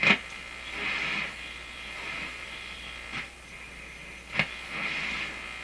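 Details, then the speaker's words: Polish Goplana tube radio, repaired and running on a low 96 V B+ supply. Quiet hiss with sharp scratchy crackles every second or two at one spot on the dial while tuning; owner suspects a scratch or rub in the tuning capacitor. "Let's tune around. Oh, it's working good. Sounds like a scratch, rub in the capacitor."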